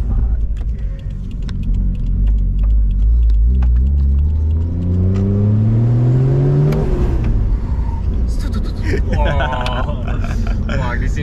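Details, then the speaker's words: Toyota 1JZ with new intake and full custom exhaust, heard while driving: revs climb smoothly, then the note drops away abruptly near seven seconds as the engine cuts out. The fuel pump gets a constant 12 volts; fuel or a boost leak is suspected. "You hear that? Yeah, I hear it. It's like cutting out a bit. It's like, I don't know what it is. Something to do with fuel?"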